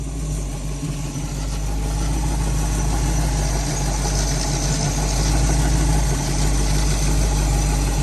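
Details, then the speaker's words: Car with new fabricated fan shroud fixing overheating, at idle around 170° riding the thermostat: even steady idle as electric cooling fans barely begin kicking on, soft whoosh; normal idle with fans running. "But yeah, now it's starting to kick on. But like I said, it's barely a whisper."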